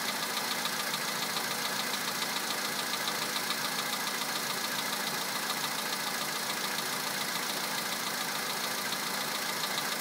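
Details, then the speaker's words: VW Polo sedan 2011, 64,000 km, Liqui Moly Molygen 5W-40 changed 200 km ago, 98 petrol, +2°C outside: at cold idle a crisp, even tapping at about two beats a second under the engine; persistent cold-start knock. "Такой вот неприятный стук. Уже задолбал."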